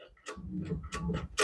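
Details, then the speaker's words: 1989 Jeep Comanche MJ after ignition cylinder replacement: turning key brings only a few sharp ticks about half a second apart and no cranking; fuel pump heard cycling; starter not turning engine, cause undetermined. "Well, let's see if it'll turn over. Nothing. Nothing. Now as I do this, I can hear the fuel pump cycling."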